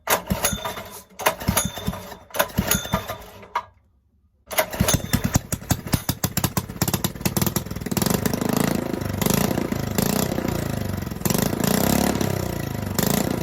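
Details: Rebuilt Honda 5.5 hp single-cylinder engine, sat outdoors nearly three years, intake air leak just fixed, oil leak present: pulls over with gaps, then catches and runs with an uneven, lumpy beat that never fully settles.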